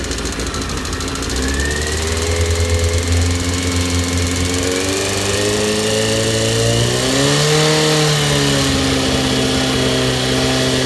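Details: Honda CBR 919 RR four-cylinder engine rising from idle into a rev and settling, with a rhythmic knock riding over the note that follows revs; engine knock, source unknown.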